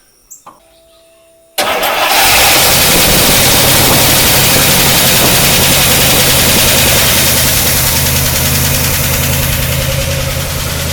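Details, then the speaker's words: 1953 Oldsmobile Rocket Super 88 barn find, battery charged, new Edelbrock carb, choke just wired: brief cranking catches cleanly into a strong, steady fast idle with an even beat and no misses or knocks. Healthy start, left to warm up. "that's that's the joke completely off not too bad let it warm up"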